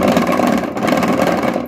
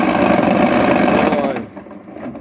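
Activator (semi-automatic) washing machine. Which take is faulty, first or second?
first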